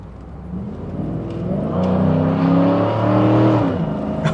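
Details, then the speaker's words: Cadillac Allanté V8 on a road test in the Netherlands, heard under acceleration: deep note climbs smoothly in pitch with even firing and no miss or knock. The engine sounds healthy and makes all the right noises without being too fast. "oh yeah I do love a V8 I don't want a powerful V8 that um HSV merlu I drove that was too much power this this makes all the right noises without being Daft fast"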